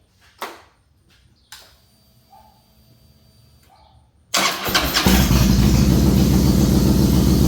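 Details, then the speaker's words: A 2007 Harley Softail with a Screamin' Eagle 110 is started after a new compensator was fitted, filled up and the clutch inspection plate refitted. After quiet clicks it cranks, catches cleanly and settles into a steady, even V-twin idle. Normal start. "last thing to do is just fire it up. Make sure it sounds good. Make sure your battery's still full."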